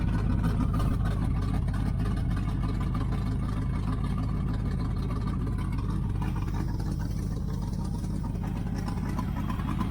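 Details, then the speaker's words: 1980 Chevrolet Camaro Z28 V8 idling after fitting a new knock-off Holley 4-barrel carburetor. A steady, deep, even burble with no knocks or misses, the belt squeal now gone. Normal idle. "Okay, guys. Well, I think that carburetor works pretty good. There's a little sight glasses there. Stay in full. Motor sounds good. The belt stops squealing."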